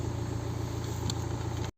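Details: BMW 118d (Serie 1) N47 diesel idling after alternator/regulator replacement for battery warning light: steady even idle with regular low clatter, no whine or stumble; battery reads 14 V charging; engine light likely from hard start due to faulty glow plugs.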